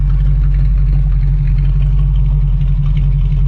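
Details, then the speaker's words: Pontiac Trans Am Bandit with a newly installed, roughly 170 hp cast-iron V8, idling with a quiet, even burble and no knocks or misses; normal idle. "Like you can live with it. You can live with this idle. You really can."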